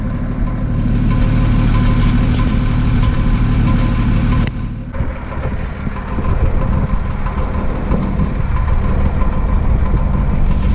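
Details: Engine with coolant found in the oil: deep rough idle with uneven knock about four per second, worse; cause undiagnosed, plugs and head next.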